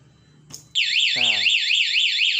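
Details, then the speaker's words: Honda CB150R with an aftermarket alarm, locked: a bump on the bike trips the sensitive shock sensor. A loud warbling siren starts at once, stops by itself, and sounds again when the bike is bumped again. "Ini kena senggol orang juga masih bunyi, ini sensor sensitif. Nah, bunyi, nanti dia berhenti sendiri. Kita senggol lagi, bunyi lagi dia."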